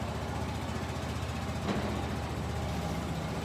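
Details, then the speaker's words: Kymco Bet and Win 250 scooter after carburetor float-bowl jet work and raising the idle screw: a steady, even low single-cylinder putter with no hunting or stumbling; a clean, stable idle. "but I bumped up the idol and it appears to be running okay now"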